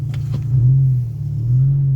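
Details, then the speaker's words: 2002 VW Cabrio GLX, 2.0 L non-turbo four-cylinder, front-wheel drive, on snow tires: deep steady exhaust rumble swelling while pulling away at about 2,000 rpm, louder than stock; owner notes a small exhaust leak in the middle section. "Yeah, it's pretty loud. Like that's 2,000 RPMs right there."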